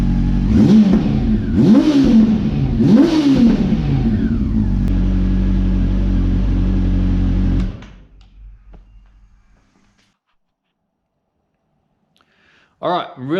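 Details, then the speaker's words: Honda CB400 V-Tec that sat unused for years, first start after fuel pump replacement: three quick clean revs then steady even idle before shutdown, running smoothly on all four cylinders; owner had feared blocked injectors. Normal running. "happy to hear that thing run i'm starting to get worried that the injectors might have been blocked and needed to be cleaned and stuff so the fact that it ran on all four and ran smooth and beautiful just makes me really happy"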